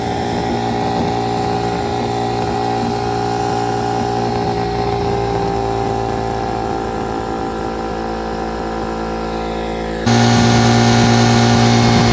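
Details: Detroit Diesel 8V71 two-stroke V8 from an old tour bus, fuel racks tied at full fuel: runaway at constant very high rpm with no governor control, water hose then fed into the blower.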